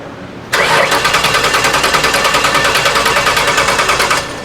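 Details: 2006 Ford Taurus with a salvage-yard replacement engine, cranking with spark and fuel pump running: starter spins steadily at about three pulses a second but it never fires; no-start from fuel injectors stuck closed.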